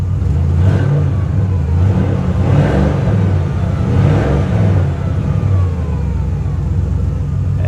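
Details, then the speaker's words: 2017 BMW M240i salvage auction car with a light rear bumper hit and hail dings, given a couple of throttle blips: a deep, even engine note that settles back cleanly with no knocks or misses. It sounds healthy. "sounds healthy she sounds real healthy god i love this car"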